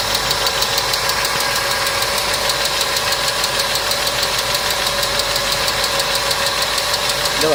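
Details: Engine idling before an additive treatment, owner complaining of engine noise: light, quick ticking, roughly three a second, sits evenly on a steady idle; hydraulic lifters are noisy.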